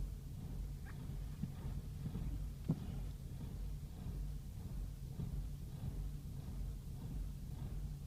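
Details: BMW E60 with intermittent rough, hunting idle rising and falling unevenly, no check engine light; occurs every 200–300 miles, may occur on highway or parked, clears after engine off a few minutes; dealers haven't found cause.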